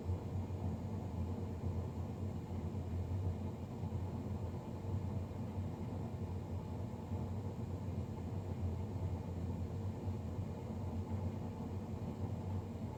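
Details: Navien NCB-240 boiler, serviced Jan 31 2020 and recorded Feb 3 2020: constant low droning rumble with no rhythm changes; combustion fan louder than it should be, cause unclear.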